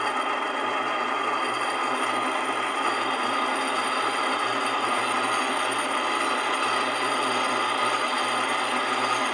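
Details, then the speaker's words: Old Miller centrifuge motor after capacitor replaced with new 25 capacitor: continuous high-pitched whir with rough scratchy edge and faint buzzing, runs but noisier than it should; owner could disassemble motor to find noise. "quanto a esse barulho pessoal eu ainda posso desmontar Esse motor inteirinho e procurar Tirar o barulho"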